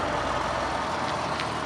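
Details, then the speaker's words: Car after fixing its corroded fuel lines, cold start at about three to five degrees: light, even idle with a busy ticking sewing-machine hum and no misses or knocks, a small carburetted engine running smoothly from cold. "not buffer saying that was a cold start it's not very warm out here it's got to be about three degrees five degrees it's pretty chilly"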